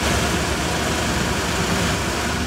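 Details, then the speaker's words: 1960 Chevrolet Impala idling, mic near engine: soft even idle, steady low murmur, only generator and power steering pump turning audible, no knocks, misses or whine; normal idle. "that is just one sweet running motor man I'll tell you I love this car I like this car a lot"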